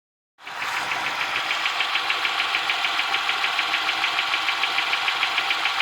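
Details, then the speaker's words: 2007 Honda Ridgeline at idle: fast, even valvetrain-type ticking about three per second persists despite front and rear valve adjustment and new serpentine belt, timing belt, tensioner and water pump; source of ticking unknown. "Ticking noise is still there. Does anybody have an idea what I should look for next or what I should fix next? I don't know what this noise is."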